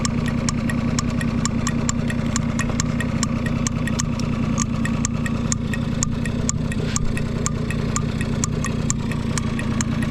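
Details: Vintage Honda Squash (AB11-1064) 12V moped with electric starter, running test: small single-cylinder engine idles evenly with a light regular tick over a smooth steady hum; no abnormal engine noise, quiet and healthy.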